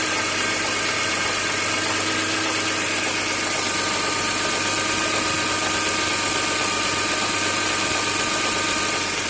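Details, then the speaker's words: BMW E46 M3 S54 at 92k miles, cold idle after one to two minutes: hissy top end with a random irregular rattle like plastic banging; anti-rattle kit and upper exhaust chain guide already replaced, no codes, noise for 30k+ miles. "okay engine's been running for about one to two minutes still cold it's a random sound almost like plastic something banging plastic but"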